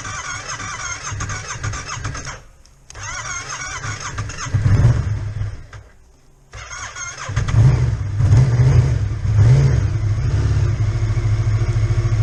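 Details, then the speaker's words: Yamaha Tracer 700 motorcycle not ridden for a while, kept on a battery tender: several starter attempts with pauses before the engine catches and revs to a steady run; the dead battery made it slow to start. "Battery's dead."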